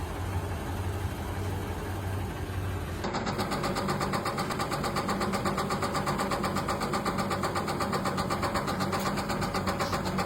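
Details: Vehicle whose owner describes it as sounding like a typewriter under the hood: over a low idle a quick, sharp, regular tick about four per second; a throttle-body gasket seemed shot, and the tick's source is not confirmed.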